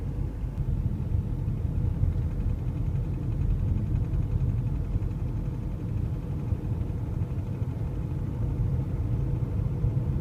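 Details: BMW 520d F11 with the N47 diesel, production date 03.2011, running at a steady low speed around 1500 rpm; a deep rumble with a fast, dull knocking underneath, cause unknown.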